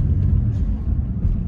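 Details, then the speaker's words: 2007 Chevrolet Impala 3.5L driving after replacing all four motor mounts: smooth steady low rumble with no thump or clunk under hard braking, where a loud clunk was heard before the repair; engine now sits firm on its mounts. "I can't hear it anymore when I slam on the brakes"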